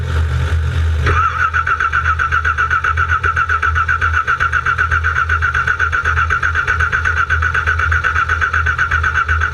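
A short burst, then about nine seconds of even starter churning around four beats a second, and the engine never catches or runs.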